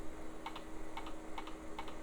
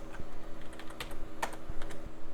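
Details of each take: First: Salvaged e-waste PC booting straight to its old hard drive at power-on: paired clicks repeating about twice a second as the drive struggles to spin up. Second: Hard drive in a salvaged retro PC from an e-waste haul, booting Windows 95: light, quick irregular ticks and soft clicks over a quiet hum, with no grinding or repeated clunking. Normal hard drive seek.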